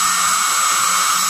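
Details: Hobby King Dr. Madthrust electric ducted fan after balancing by repositioning the spinner and adding tape inside. It holds a high, steady whine and airy rush with no wobble or beating, running smooth and balanced.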